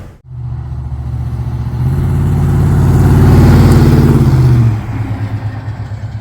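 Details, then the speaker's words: 1986 Chevrolet K10 after a Borgeson steering gear swap, third power steering pump (new O'Reilly's New Advantage, after two whining reman units): engine revs and returns to idle with no pump whine or groan; normal. "It was a new Advantage unit that I had gotten from O'Reilly's. It was newly manufactured, came as just the pump itself, and I had zero issues with it, as you can hear."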